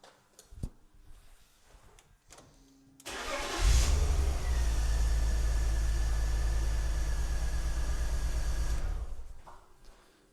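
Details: BMW E46 330Ci Clubsport M54 engine off the road 7 years, coil packs unplugged one by one to find a misfire: steady low idle with a slight uneven beat; pulling coil 6 changes little, so cylinder 6 is dead, later traced to a damaged spark plug.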